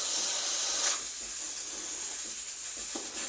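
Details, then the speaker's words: Breville Barista Express steam wand at full pressure, tip held near the milk surface to inject air for about 15 seconds while frothing milk: strong, steady high-pitched hiss with slight sputtering as the jug moves; normal. "I'm injecting air now, so making that milk creamy and frothy."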